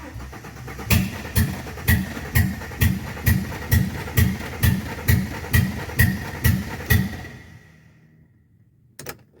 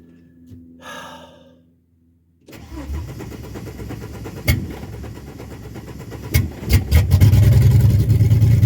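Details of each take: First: AU (AutoX) with fuel pump running and fuel added: slow even cranking about twice a second for six seconds without firing; cranks but won't start, fuel filter suspected. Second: Ford AU Falcon after a new fuel filter: brief crank, engine catches promptly, settles, then revs cleanly several times without stumbling. The old filter flowed freely but was blocked under pressure; the fuel filter was the problem.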